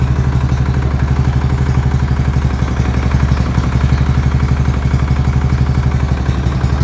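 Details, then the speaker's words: Murray with an old flathead engine on its first start in a long time, possibly with used oil in it: loud, rough, low thumping knock at about four beats a second with a clattery edge, and smoke appears. The owner thinks it is worn out and needs a rebuild. "Knocking pretty bad though. Sounds bad to me. Maybe it's just a flathead thing. I don't know, but I think she's on her way out."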